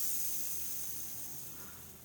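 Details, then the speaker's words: Hand-spun ball bearing: rotates smoothly but gives a loud dry hissing rush fading as it slows, a symptom of a defective worn bearing; a good new bearing spins silently. "Smoothly rotate कर रहा है बट बहुत ज़्यादा sound create कर रहा है। तो ये एक सिम्टम है कि आपका बियरिंग ये सही नहीं है।"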